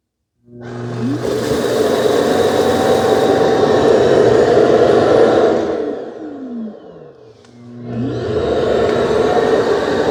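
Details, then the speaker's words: Ecovacs Deebot T80 Omni robot vacuum dock, first auto-empty: suction motor spins up to a strong steady rushing whine, winds down, then restarts smoothly; complete normal auto-empty cycle, though a clog occurred elsewhere. "That sounds like a good auto empty."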